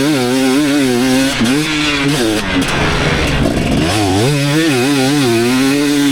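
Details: 2019 KTM 250SX two-stroke with Lectron Billetron 38 Pro carb, ridden under load during tuning: revs rise and fall with a harsh crackly edge on pull, still detonating, lean; rider plans to turn it back out an eighth.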